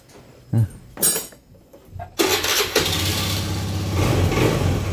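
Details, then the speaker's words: 2014 Honda Beat scooter after replacing a weak fuel pump (spec 263–361 kPa) that caused sputtering, no acceleration and stalling at idle: quiet cranking, starts at once, steady even run, takes throttle cleanly. "tuh lihat hasilnya teman-teman sekarang udah jos sudah bisa digas tuh jadi udah gak berebut lagi"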